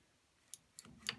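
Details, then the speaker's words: Mag-BreakAway magnetic plasma torch holder with S45 torch and Z limit switch: sharp, light clicks at irregular intervals in quiet room as holder moves; normal limit switch clicking. "You can hear the limit switch clicking."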